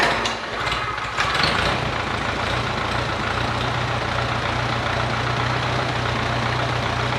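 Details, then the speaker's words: 1951 Farmall Cub tractor, about 70 years old, after carburetor cleaning, fresh fuel and rewiring: brief cranking catches into a steady, even low idle with no knocks or misses, strong oil pressure; starts and runs healthy, "these motors just purr." "Look at that. It runs good too. It sounds good. And these motors just purr."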